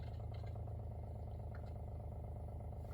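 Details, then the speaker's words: WaterFirst countertop reverse osmosis purifier, first-time setup, filtering after being unplugged and plugged back in to restart it: a low, steady pump drone with a soft regular pulse about three per second and faint bubbling; the pump sounds normal. "All right, so now it sounds like the machine is going to filter water. You can hear it working."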